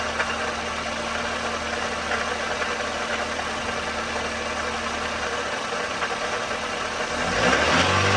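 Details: '04 Toyota Matrix XR 1ZZ-FE, 5-speed manual, 174,400 mi, burns ~0.5 qt per oil change, at operating temperature: warm idle with a light, fairly regular ticking rattle about four per second over the engine hum; cause undiagnosed.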